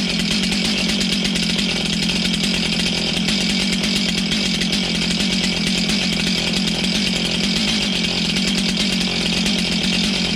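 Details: Stihl MS291 chainsaw, bought used online, just serviced with a service kit; started after sputtering, its high buzzy two-stroke note holds steady and even with no stumbling or surging: healthy running.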